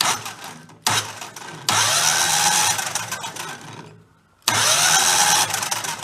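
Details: 2000 Terramite T5C compact tractor loader backhoe, engine threw a rod and was rebuilt from junk-engine parts; on jumper pack the starter spins it fast and evenly with no puffing or slowing on compression strokes: no compression, exhaust valve seems to sit low.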